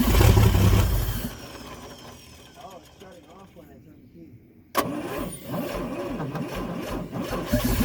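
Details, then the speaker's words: 1954 Chevrolet 150, engine sat 54 years, cranked on the original 6-volt battery from the trunk: it fires and runs about a second, then cuts out when the key leaves the start position; ignition problem suspected, plan to jump the coil. "Well, we have a problem with the ignition. When it comes off the start position, it dies."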